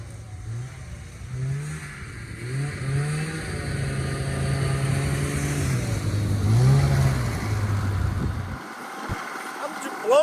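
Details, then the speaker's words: Polaris 500 Widetrack snowmobile, unstarted for about 6 months, plugs checked, fuel added, booster for dead battery: two-stroke revs rise and fall, then steady even buzz; fires readily and runs cleanly, fluids fine. "away that it started so fast we're going to go give it a test [Music] run"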